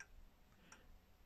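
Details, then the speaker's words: Old German three-weight clock with freshly serviced movement, mounted in its case under restoration: quiet, steady, evenly spaced tick-tock with nothing rattling; the escapement beats cleanly and the clock works very well. "revizuit la zi, funcționează foarte bine. Este un mecanism foarte reușit."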